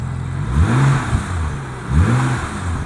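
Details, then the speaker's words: BMW M135i bought at auction, accelerating, not in sport mode: revs rise twice with uneven whooshing flutter; owner thinks wastegate or turbo flutter, not confirmed. "I can hear the turbo [Music] fluttering is that fluttering or is that just something ring I think that's the waste gate like fluttering I don't know"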